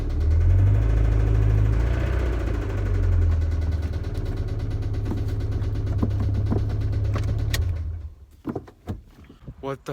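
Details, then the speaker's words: Toyota MR2 Spyder 1ZZ engine started after over two months sitting: heavy low rumble with a steady knock about four times a second until shutdown; blown engine, metal chunks later found in drained oil. "it's been over two months since this thing was last started and it's gonna sound really bad when it starts"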